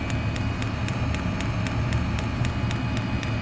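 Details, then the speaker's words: Chinese diesel heater running on kerosene, cover removed: the fuel dosing pump ticks sharply and evenly, about four times a second, over a steady low heater rumble; owner plans to wrap the pump to absorb the noise. "so we've just took the cover off and there's a little pum pulsing away tick tick tick"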